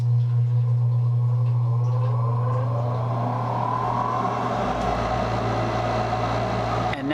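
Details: Gas furnace exhaust (inducer) fan motor after replacement, furnace turned back on: smooth, steady low hum with even airflow rush, no rattles or bearing noise; running as it should, unlike the old motor that spun up then slowed.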